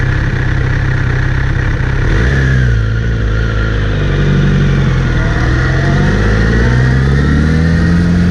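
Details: Kawasaki Z900RS under load: after cleaning and relubing the chain, a faint whir rising and falling with road speed over the engine drone, seemingly from the front sprocket area; chain clean, tension OK, cause unconfirmed.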